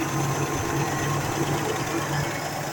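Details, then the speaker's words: 1976 Chevy Camaro, inline-six with integrated head (believed 250), running again after an ignition coil replacement and priming the carburetor float bowl: even, steady idle with soft regular pulse, no stumble or miss; normal idle. "There the Camaro runs. $26 later. It's a good running little car. It's an integrated head inline six, like a 250."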